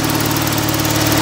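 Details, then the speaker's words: Small engine just after a cold start, mic placed close: steady, fairly quick idle with a slightly lumpy, burbling note while the choke is adjusted, first too much then not enough; uneven idle from mixture setting. "that sounds like a bit too much choke now that's probably not quite enough"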